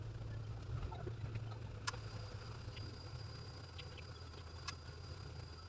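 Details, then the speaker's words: 1995 Chevy Lumina idling quietly with an even low hum, no knocks or misses, after a deer strike left front-end body damage and the headlights destroyed; the engine still runs well, a normal idle. "Well, on the bright side, it sounds like it's still running good."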